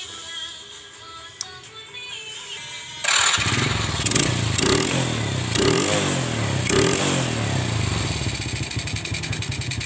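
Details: Old Honda Supra carburetor motorcycle after carb idle and air-screw adjustment and spark plug gap check; single settles into steady, even putt-putt about four beats a second, no misses; clean idle.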